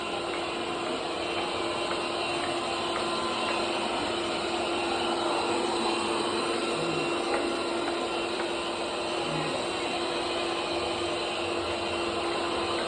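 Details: Bobsweep robot vacuum running abnormally loud: a steady whirring roar with a constant mid-pitched hum throughout, much noisier than it should be.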